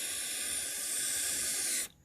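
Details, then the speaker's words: 1985 Honda Fourtrax TRX250 carburetor float needle seat blown through by mouth: steady airy hiss as air passes freely; passage is clear. "that's clear. If it's not clear, you might need to use a little bit more than what you can get out of your mouth to blow that out."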